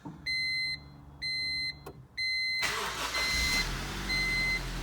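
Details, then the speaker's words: Honda CR-V B20B after a head gasket job, before the ignition timing was adjusted: three dash chimes, then it starts quickly and settles into a steady, even idle with no knocks or misses. "She starts, she runs. Sounds good."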